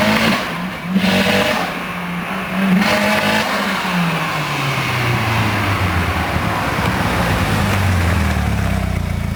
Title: 740 turbo weird misfire